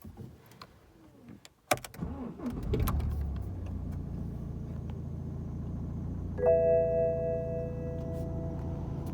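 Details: 2011 BMW 1 Series M Sport: after start-up, the idling engine makes a steady high squeal, stopped or running, fading a little after drives over 40 minutes; origin unclear.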